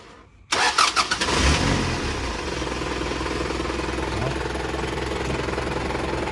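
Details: Isuzu NKR 110 hp six-wheel truck, year 33, original, engine described as good and quiet: starter catches, a few bursts as it fires, then an even, steady diesel run with no knocks; normal start and rev.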